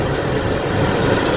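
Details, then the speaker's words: Toyota Avanza rear aircon blower after fitting an electric-fan bushing and adjusting the rotor, at speed 3: smooth steady whirr, no grinding; before repair it sounded like stones being ground inside. Normal blower operation. "Yan, wala nang ingay. Dati sobrang ingay talaga, parang kala mo may bato sa loob na ginigiling."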